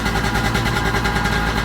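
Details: 1995 Sea-Doo GTX two-stroke revving on the flush water hose: sharp raspy popping chatter on each firing pulse; exhaust leak between exhaust manifold and pipe, later fixed with new gaskets and RTV.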